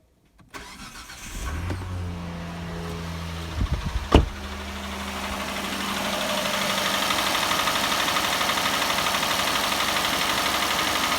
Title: Стук в двигателе G6ea